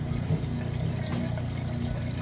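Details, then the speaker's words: Kenmore direct-drive top-load washer, large load, agitate and spin set to maximum, in the drain portion of the wash cycle: a steady pump hum under rushing water into the drain hose; it drains fast and normally. "All right, we're in the draining portion of the wash cycle. It's draining that water out there nice and fast."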